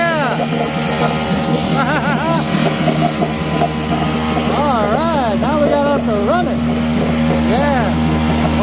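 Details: 1960s Mercury outboard, first run in years after a new water pump impeller, in a water tub in neutral: steady, even buzzing drone at constant speed with no misses or knocks, shooting water; running healthy.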